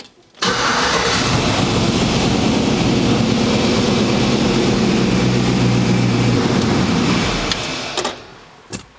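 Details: Poppa Bear truck started with foot on brake after re-hooking and priming the fuel pump (no leaks): brief crank, catches right away, steady even idle about seven seconds, then shut off; healthy start, oil pressure good afterward.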